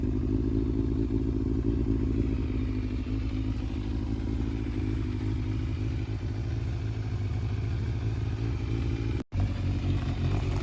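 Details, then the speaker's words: Yamaha Fazer 600 inline-four warming up at idle: smooth, low, even beat with no misfire or knock and no smoke; engine sounds healthy, though a regulator or alternator charging fault is suspected. "Ouais, le moteur, il a l'air d'aller. Elle fume pas du tout, hein."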